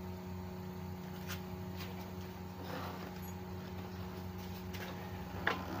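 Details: 2005 Yamaha F1ZR with rough starter-gear noise at engine shutoff, tested after greasing the starter gear before closing the left cover: quiet, steady low hum, even tone, no knocking or grinding; normal idle.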